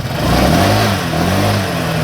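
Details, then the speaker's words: 2018 Honda PCX after replacing the stock radiator fan with a Vario 125 radiator fan: revs smoothly with a clean, steady hum and the former growl is gone. "Sekarang ngoroknya hilang bro."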